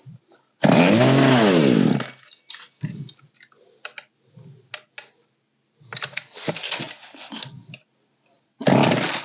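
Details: Poulan P3816 chainsaw (16in bar), old green model, after carburetor repair with low/high mixture and idle screws adjusted: saw screams up on throttle in crisp bursts, then drops back and ticks over quietly; it runs and holds idle.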